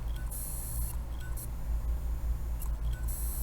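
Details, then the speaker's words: LaCie external hard drive powered on for data recovery, not detected by Windows: repeated short clicks and high buzzing chirps/beeps over a low hum; head failure clicking. "there's a problem with the drive there it's not even detecting them for Windows and you could hear making noises"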